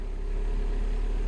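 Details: 2010 Mini Cooper S 1.6 N14, started after 5.2 kΩ resistor fitted to crank/cam signal: deep smooth idle hum, no knocks, misses or surging, no warning lights.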